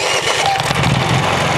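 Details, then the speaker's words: Honda EU3000is generator started by key without choke on a warm day of about 90°F, catching first try and settling into a steady, even run; clean, healthy start. "just like that, it started. Now, I know from doing this video for practice that sound comes out much larger, but let me give you an idea."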